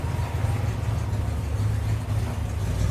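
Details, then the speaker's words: 1982 Dodge Ramcharger, warm after the choke kicked off: low, uneven idle with the rumble drifting slightly up and down, so idle speed should come up; a knock, possibly a noisy lifter, was heard earlier. "yeah the idle could actually come up some"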